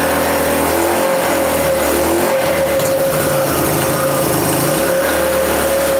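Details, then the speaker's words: Chinese 150cc scooter with a replacement motor that had been tampered with, started on starting fluid with the air filter off: small revs with a buzzing tone that sag and surge unevenly; it runs on time but won't idle, so a carburetor clean is planned. "So we know from starting it that it does run. It's on time. It has no idle."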